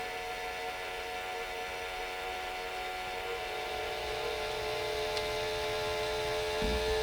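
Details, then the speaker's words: Electric fuel pump on a Predator 670cc V-twin dragster kart with a new 34mm Mikuni carburetor, making too much pressure: a steady high hum with no stutter, easing slightly as the bypass is adjusted; some aeration at the pump is possible. "you hear the pump going oh yeah it's going crazy"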